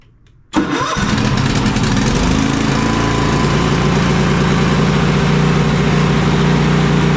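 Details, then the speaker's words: Cub Cadet Enduro XT2 XLX50 mower, 679cc EFI MTD engine, seat switch taped closed for testing after repair of intermittent starting: quick crank, then a steady even idle; starts and runs properly. "mostly that looks to have solved our issues"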